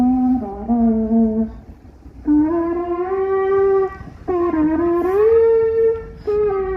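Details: Ship at anchor: hollow, wavering moan sliding up and down in pitch in long drawn-out calls, cause of the groan unclear; moaning noise at anchor.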